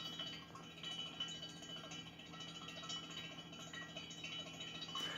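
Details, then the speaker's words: Stainless-steel Campfire Refrigeration absorption unit, heated directly on a fire, evaporator in a bucket of water: faint, irregular light ticks and clinks as refrigerant is reabsorbed from the cold evaporator into the hot ball; normal operation. "what that sound is is the refrigerant being reabsorbed from the cold ball here the evaporator back into the hot ball and so it's a very straightforward cycle"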